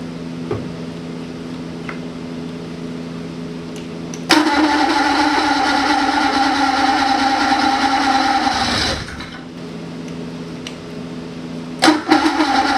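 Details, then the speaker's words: 1980 Ski-Doo Everest 500 fan-cooled two-stroke snowmobile, bought trashed; quiet cranking, then it catches on mixed gas primed from a spray bottle with a raspy buzz for about four seconds before fading. Normal start. "ah well she runs i'm going to try and bottle feeder here for a while if i can get the timing right"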